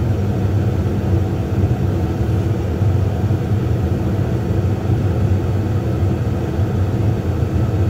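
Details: Brand-new Lennox attic furnace, about one to two months old, running with ignition after the inducer draft motor was replaced under warranty; rubber stuck inside had kept the inducer from starting. Steady low even rumble with no rattle, scrape or surging. Normal running.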